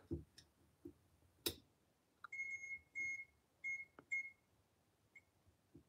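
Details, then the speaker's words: Elevator Series 1 fixture base beeper powered on the bench: about four short, clean, high-pitched beeps in an even pattern over a quiet room; normal beeper operation. "there's the beeper and then for the buzzer we can do this"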